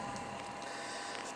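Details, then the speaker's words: Propane room heater with its blower switched to manual so the fan runs immediately: a soft, even fan hum with a faint steady tone and no scraping or ticking, blowing heat normally. "so you put it on manual press the manual and now your fan is on"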